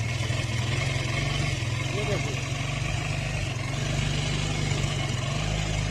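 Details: Bajaj motorcycle with an engine noise caused by oil not reaching the top end, after fitting a new genuine Bajaj oil pump; steady, even idle with a smooth low thrum and no top-end knocking or ticking; normal idle.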